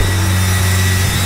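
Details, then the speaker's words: Turbo Honda D16 on dyno, IAT sensor unplugged and bypassed in tune, idling around 3,000 rpm: steady high-pitched whistle from intake manifold area. Brake cleaner on throttle body quiets it, so likely a throttle body vacuum leak. "We got a whistle coming from something. The motor sounds good, but there's a whistle coming from the intake manifold area."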